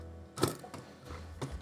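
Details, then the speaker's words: the100 3D printer toolhead on its original linear bearings and rods: quiet sliding with irregular light clicks and rattles. The toolhead wobbles; the bearings may be too big or the rods too small (unconfirmed), and the parts are being replaced with Fushi ones. "So what you can see here is it's running smoothly, that's not the issue, but you can also hear it doesn't have a lot of contact, and then this is very concerning."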